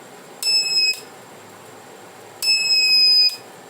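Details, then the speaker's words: Reliable 03 inverter on bench, supply limited to 1 A, scope probe on first gate: two sharp high beeps (half second, nearly one second); oscillator IC smoked, fault in first stage, failed oscillator chip. "E olha aí o problema aqui, ó. Fumaçou o CI, ó. Então, ó, defeito na primeira etapa, mas é o CI oscilador que tá com defeito."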